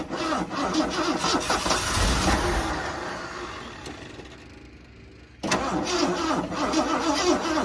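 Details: 1979 Ford Bronco, first start in 15 years, cylinders soaked with WD-40, fuel line disconnected and carb bowl filled with gas: fast starter churning with uneven firing bursts, pause, cranking again; attempted start after long storage.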